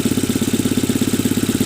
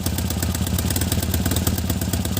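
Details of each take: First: Tata Nano idling after the misfire was repaired: even putter of about 13 beats a second with no skipped beats, the twin firing on both cylinders and running smoothly. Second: Tata Nano at idle with a lumpy, uneven pulse and a missing beat every so often; misfire.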